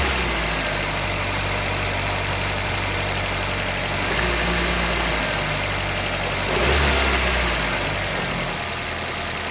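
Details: 1995 Geo Prizm during a vacuum test with a handheld gauge on an intake port, at elevation (expect 13–18 inHg), engine getting hot: steady idle, then throttle blips make revs rise unevenly and stumble, a stutter or bog under throttle. Faint fuel smell noted.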